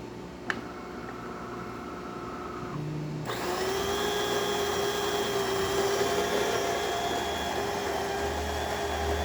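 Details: DeLonghi Gran Dama espresso machine after replacing its 2013 water pump, which had zero pressure and an error: steady buzzing hum starts abruptly and settles into an even drone while brewing; new pump works and builds pressure.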